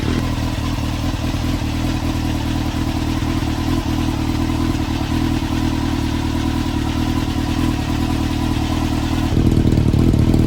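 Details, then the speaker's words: 22-year-old Honda CBR954RR Fireblade with aftermarket exhaust, running again after sitting for months and after wiring repairs: a deep, crisp exhaust beat that picks up cleanly on throttle blips. It had backfired and shot flames earlier. Sounds healthy. "she sounds pretty mean I like that exhaust that's on it"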